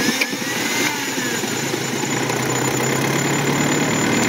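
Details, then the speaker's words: Toyota 22R carbureted Pickup/Hilux 4x4 started by remote start: catches and settles into a loud, slightly uneven wavering idle; owner says the carburetor float level has been hard to set right. "so she's been having a little trouble with the carburetor getting the float level set just right"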